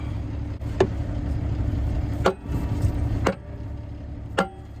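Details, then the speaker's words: Kenworth T800 rolloff truck, C-12 CAT diesel, revived after sitting; engine idling as sledgehammer strikes stuck bottom drum brake shoe with parking brake released, pitch rings brighter as shoe frees. "it looks to me like this bottom one's sticking it looks like the top one's released i'm gonna give it a couple of good whacks and see if it'll free up"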